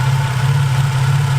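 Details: Infiniti G35/Nissan 350Z engine bay, heard through a socket held on the idler pulley: thin high whine over idle drone from failed bearing in the idler pulley tensioner.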